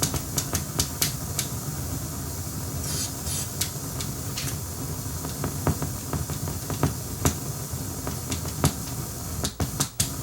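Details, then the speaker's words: Akai 4000DS MK2 reel-to-reel: constant hiss, rumble and irregular crackles from the amplifier. The sound-on-sound switch is first suspected and sprayed with cleaner; the actual cause was failed transistors, not capacitors. "You can hear all that racket, and I'm just going to give this switch a shot of cleaner before I tear into anything else."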